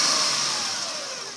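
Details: 2005 Acura RL, mic near the alternator, revved then returning to idle: thin high whine sliding down in pitch as revs fall, strongest just before idle; owner suspects the alternator.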